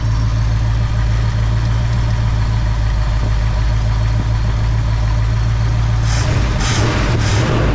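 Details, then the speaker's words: 1966 Ford Fairlane 390 FE V8 4-speed with rebuilt Autolite 4100 carburetor, running after 20+ years; steady even low idle rumble with no stumble, shake or miss; engine no longer hopping, smooth healthy idle. "Hey, that thing's running good. Woo-wee."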